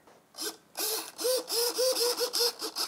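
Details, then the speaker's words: XUAV SkySurfer X8 RC plane after a big crash from lost video signal: aileron servo tested during damage check, short crisp whirring sweeps back and forth with no clicking or skipping; servo gears undamaged, working fine. "wrong with that at all that's that's undamaged same again no problems at all working fine"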